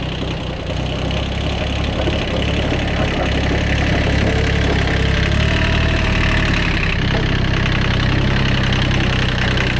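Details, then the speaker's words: Worn Kubota B7100 tractor diesel idling after gearbox rebuild with new gears and bearings replacing chewed-up ones; steady even low rumble, no grind or whine, earlier horrible gearbox noise gone, normal gearbox running. "all right that's um everything back together so the Moment of Truth we'll uh start up and see if that noise is gone that's way better no more noises"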